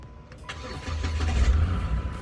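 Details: Engine started after serpentine belt and water pump installed and antifreeze added, retried after a dead battery: quick crank, catches cleanly and settles into a steady low idle without stumbling; normal start and idle.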